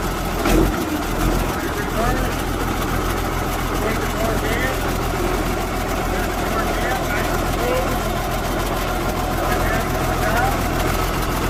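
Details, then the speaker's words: 1973 International 1066 tractor diesel, fully rebuilt engine, new injection pump and torque amplifier, 56 hours since restoration: steady even idle with regular low chug, no knocks or misses; healthy. "And we're going to fire it up next and let you hear it run and go through the gears and let you see how this baby purrs."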